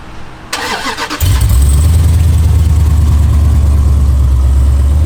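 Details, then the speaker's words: Hemi SRT engine, O2-sensor check-engine light on: after pressing the two buttons before start, brief whirring and clicks as the system primes, then the engine catches and settles into a strong, steady, deep idle; normal. "Like when you press the 2 buttons before it turns on, you can hear the car make some noises and kind of prime itself."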